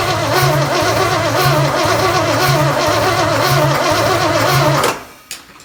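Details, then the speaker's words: Chevy 283 V8 Marketplace find, first run on the shop floor with jury-rigged battery cable: rough lumpy idle, rhythmic stumble about once a second before shutoff; owner suspects a dead cylinder, unconfirmed. "sounds a little uneven like it might have a dead hole but we'll see"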